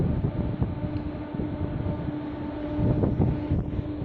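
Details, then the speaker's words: Facility building fan near Tampines East MRT station running at night for hours, about 66.8 dB; constant low roar with steady hum and mic wind, like a big fan flat out; suspected fan, not confirmed. "this is the noise that's happening almost on a nightly basis disturbing my mother's breasts you can track"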